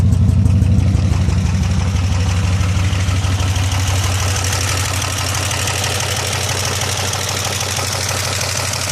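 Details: 2002 Pontiac Bonneville SE at idle after an hour-long 75 mph drive with oil pressure gauge reading near zero and what sounded like a miss: rapid, regular deep internal knock about three beats a second; owner thinks the motor is done.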